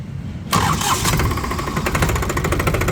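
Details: New New Holland 3630 model tractor diesel with an inline F75 pump, 49.9 HP. A brief crank, then it fires at once and settles into a steady, even diesel clatter at idle. Clean, healthy start.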